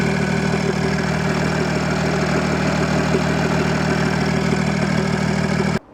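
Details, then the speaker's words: Audi A6 C5 2.5 TDI V6 (AKE) after correcting injection timing and refitting the valve cover: steady, even diesel idle with smooth low rumble, no knocks or misses; starts normally, though jammed turbo geometry still leaves no boost. "dressed valve cover is assembled to the motor normal start up works well"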